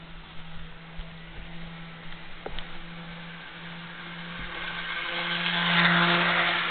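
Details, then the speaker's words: Jouef Amtrak RTG Turboliner model train, first test run after rebuild with Kato F-3 drive replacing worn-smooth worm gear, about 50–60 then 79 scale mph: smooth even low motor hum swelling as it passes closer, no grinding or clicking; normal running. "I estimate she's running at a scale speed of approximately 50 to 60 miles an hour. Let's take her up to a more prototypical 79 miles an hour."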